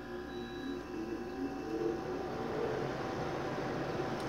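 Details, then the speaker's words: Smaller window air conditioner on max cool, high fan, running off a solar inverter (inverter beeps near its maximum): steady low hum with even fan rush, no knocks or rattles, blowing very cold; normal compressor operation. "okay so you can see very cold the compressor is running you can hear it running"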